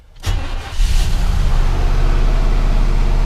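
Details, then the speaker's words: 1998 GMC Sierra 4x4 with 5.0 Vortec, HP Tuners reading random misfire and MAP codes (MAP sensor had been unplugged); starts after short crank, then lumpy uneven idle with stumbles, missing a bunch, smells gassy, though nicest idle since owned; cause unconfirmed. "still not running right missing a bunch and it smells really gassy"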